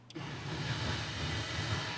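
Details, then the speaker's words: 383 small-block Chevy, crank without pumping throttle: steady starter cranking, never catches or fires; starts only after pumping the throttle, suggesting it needs more fuel. Cranks but won't start unless throttle is pumped. "Okay, so haven't pumped it. So I'll crank it one more time without pumping it."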